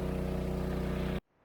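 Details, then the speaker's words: Engine-driven water pump at a dam, pumping about 225 m up to a holding tank, running after replacement and problem fixed: steady, even drone with a regular low pulse, no knocks or rattles, before cutting off; running smoothly. "This is the sound I want to hear. Finally. Success."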